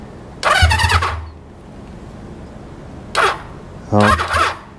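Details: 1973 Honda CB350 Four with points ignition being revived, spark only on some cylinders: three short half-second cranking bursts that never catch; cranks but won't start, cause suspected, not confirmed.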